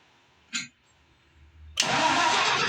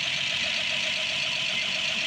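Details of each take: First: Rebuilt Ford 215 six-cylinder truck engine, new spark plugs, reversed wire fixed: short crank, pause, then a rough uneven catch; hard start, suspected out of time. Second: Rebuilt Ford 215 six-cylinder truck engine, new spark plugs, choke on, first start: even settled idle, smooth steady hum, no knocks or misses; normal idle, some smoke expected initially.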